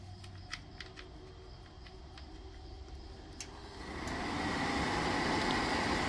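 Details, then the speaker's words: Atwood 7916-II propane furnace, pulled from a popup, bench hot-wire tested in a garage: faint ticks, then the blower spins up to a steady airy rush for normal pre-purge, before the valve clicks and lets propane in. It only fires with both wires connected. "in the system to get it to kick over so it's going to run for a little bit I'm going to hear that click over and let the propane in"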